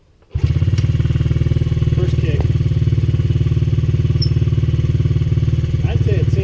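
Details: Honda CRF50 single-cylinder dirt bike after carb cleaning: catches first kick and settles into an even, steady putter with no hunting or stalling; idling normally, idle screw possibly a little high.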